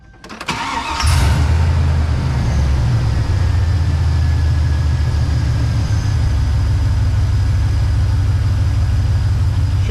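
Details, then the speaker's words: GMC Sierra (NBS) pickup after Seafoam treatment and new belt installed: quick crank, catches with a faint chirp at the very start, then steady deep idle with no belt squeal; owner thinks the start squeak was initial junk or something on the pulley; normal idle. "seems like it. I heard a little bit of a squeak there at the beginning, but maybe that was just the initial junk getting off."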